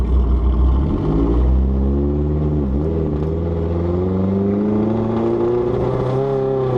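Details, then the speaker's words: Turbocharged project race car on first test drive, burning something and unwilling to exceed 4,000 rpm: rising drone sags and wavers partway through instead of building; stumbling under load, cause unconfirmed. "Whoa, it's running awful. I can like barely even get into the power."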